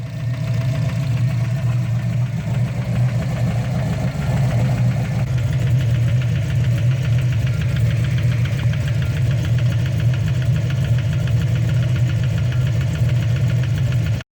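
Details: Turbo Ford Mustang after drag strip runs (12.9 s at 116 mph), ticking began on late passes; low heavy idle with dull regular knock keeping time with the engine, traced to bottom end, metal found in the oil; bottom end knock.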